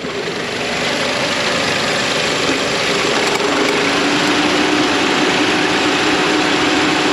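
Steady idle carrying a fast, fairly even tapping of about three or four a second over the engine; a knock at idle, cause unknown.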